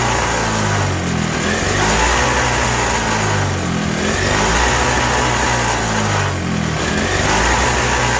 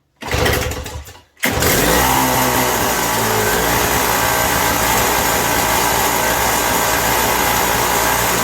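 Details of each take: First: 1987 Toro CCR 2000 snow blower two-stroke, in the cold, with a new replacement carburetor: steady high buzzing with slightly hunting pitch, runs only on choke, sounds very lean; turning the jet in or out changes nothing. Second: 1987 Toro CCR 2000 two-stroke snow blower after a carburetor replacement, mixture set to 1.5 turns: it catches after a short pull and holds a steady, loud buzzing run, governing immediately under load. Healthy running.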